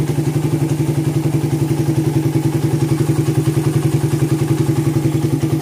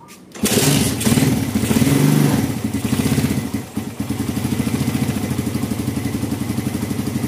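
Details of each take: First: Suzuki Satria FU FL 2014 after a bore-up, hot after repair, heavy carbon blown out the exhaust. Even, quick thumping with no stumbling, popping or misfire: main jet is set right, and it runs clean. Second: 2014 Satria FU carbureted single, bored up and with a seized kick starter, after carb cleaning and jets swapped to 40/120: it fires, revs briefly, then drops to a slow lumpy idle. Idle too low; the idle adjuster is bottomed out.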